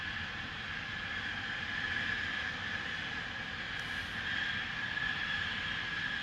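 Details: Continuous steady hiss with thin high tone near 2 kHz, from Spooner Industries in Ilkley, 6 April 2021, 8.45am; recorded within a neighbouring property boundary, audible over 100m away; venting or leak, cause unclear.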